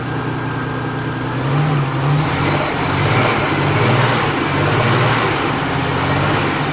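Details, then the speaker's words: Nissan R31 with an RB30 turbo six, idling unevenly with stumbles and dips about three times a second. Fine when cold, struggled once warm; oil pressure 50-60 psi on a rev. Misfire with rough idle, later thought to be a dirty distributor. "okay so as you could probably hear from that video there is something funky going on um I don't know what oil pressure was looking good it was sitting up sort of 50 to 60 lb when I gave it a REV um when it was cold it was fine as soon as it started warming up it really struggled"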